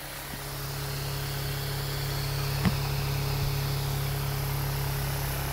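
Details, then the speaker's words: Homemade pulse motor repaired with electrician's tape, speed test: steady low hum with fast even pulse around four per second, getting quicker, no knocks or scraping; spinning smoothly at speed. "we can hear that getting quick now see if that's as fast as it'll go that's really getting the speed on"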